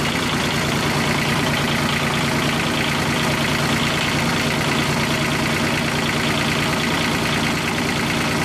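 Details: Kubota G1800 tractor diesel, rebuilt engine back in tractor after about 2 hours mowing: steady even clatter, no knocks or misses; healthy, running good.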